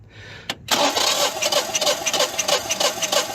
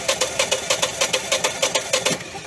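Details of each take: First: Propane-fueled engine cranking with fuel off during a compression test: a steady, even chuff about three per second with no hitch. Reading is 195, almost 200 psi, against an expected 195–210, so compression is normal. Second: Propane engine cranking with spark and rotation, solenoid clicking, about 7.5 inches pressure, yet not firing: even cranking pulses about five per second; no fuel reaching cylinders.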